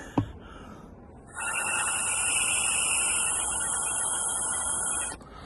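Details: Triumph Sprint ST fuel tank front breather pipe, previously kinked and forcing fuel out of the filler cap; steady hiss of air blown freely through the straightened pipe shows the breather is now clear.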